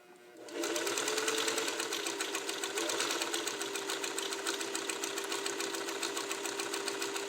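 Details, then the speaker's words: Fully serviced Singer 301A Slant-O-Matic sewing machine running a long stitch: quick, even needle ticking with a smooth motor hum and no knocks or binding; normal running. "So I want you to see this machine run, hear it run, and I'm going to start with my long stitch here."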